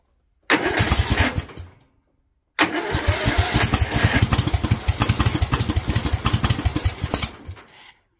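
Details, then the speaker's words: Kohler single-cylinder engine with a Honda carburettor: catches after a brief crank and settles into an uneven, lumpy idle around three beats a second; too much fuel, rich idle mixture. "okay I think we're actually getting too much gas right now for the idle so we're going to crank this up just a little"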